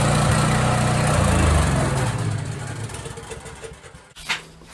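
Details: Husky portable generator surging then stalling, engine note stepping up and down unevenly before sagging and dying within seconds; runs about five minutes then shuts off, and cleaning the idle mixture jet did not help.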